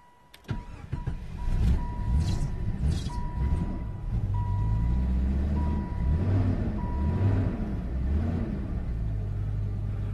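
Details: 1995 Jeep Grand Cherokee with a faulty PCM: hard to start, loud clicking ASD relay, flickering check engine light. Sharp clicks, then a labored start and a lumpy, surging idle under a repeating dashboard chime.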